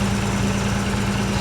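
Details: 1986 Nissan 300ZX, hurricane-flooded, first run in 13 years: steady, even low idle with a smooth beat and no tapping, misses or knocks.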